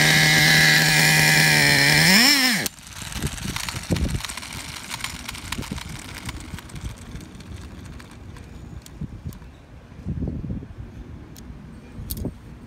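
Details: Traxxas Revo 3.3 nitro RC truck engine: high, buzzy revs climb cleanly in pitch for a couple of seconds, then cut out; runs fine. Engine good; transmission, stripped spur gear, starter motor and one-way bearing need replacing.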